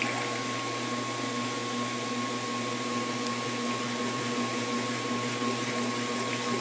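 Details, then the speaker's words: 1996 Maytag Dependable Care Plus washer on a delicate cycle, blanket rewrapped evenly around the agitator: steady, even motor hum with water rushing as the drum holds full spin and drains a lot of water. Normal spin. "you see it does attempt to do the full speed spin even though it's not gone up but it is draining out a lot of water which is good"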